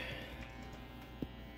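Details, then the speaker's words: 1970s Music Master bass amp at rest, fed by a Rangemaster-clone and Russian Big Muff-clone pedal chain from a particle-board Strat: faint steady low 60-cycle mains hum. "you can already hear the 60 cycle hum we're just gonna have to live with that"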